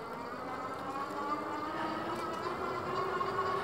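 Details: Troxus Lynx 20-inch step-through class 3 e-bike with an 80 Nm hub motor, throttle only on a hill climb, capped at 20 mph. Steady mid-pitched motor whine with a higher tone that rises slightly under load; normal.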